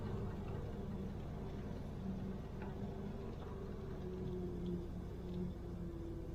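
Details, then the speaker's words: 1971 Corvette C3 with a 350 small block, engine idling; a wavering whine comes while the steering wheel is turned and stops when pressure is taken off, worst turning right. Whine when steering, traced to the power steering pump, which is to be replaced. "You hear that noise? Kind of a whining sound. When I take pressure off, it stops. It's really bad going to the right."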